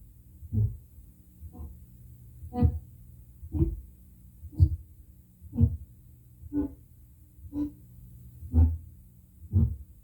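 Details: Prerecorded tape at normal listening volume, then raised about 10 dB: a soft, evenly spaced low thump about once a second under playback. This is spoke noise from improper bulk erasure.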